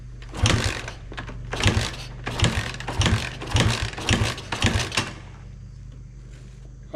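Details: Free 1986 Honda XR80R with low compression and a carb boot off for years, kicked with no choke: repeated kick bursts about every half second with no catching; it won't fire.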